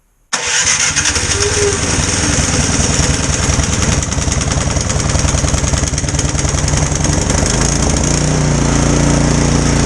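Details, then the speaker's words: Snow blower small single engine, pull start broken, started on full choke with 3–4 primer pumps, fires straight up into a fast, even buzz with no misses while warming up, sounding stronger than before; normal running. "Oh yeah, that sounds stronger than it was before. We're gonna let her warm up."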